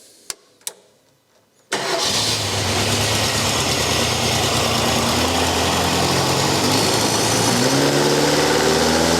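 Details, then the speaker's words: Race engine started and revved to about 4,000 rpm without the muffler, sound measured by Mac dB-meter app at 105 dB against a 98 dB track limit: loud, raspy rising drone; exhaust far too loud unmuffled. "So I'm going to start it up without the muffler first, and then we run it with the muffler. And I'm going to rev it to about 4,000 RPMs."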